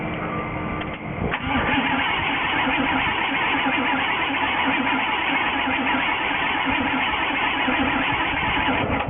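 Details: 1973 Jeep Wagoneer in warm weather with a replacement coil and a starter, water pump and alternator about 1,000 miles old. Fuel is pumped up first after sitting. About a second of uneven cranking, then it catches into a steady, slightly rough idle: a normal start.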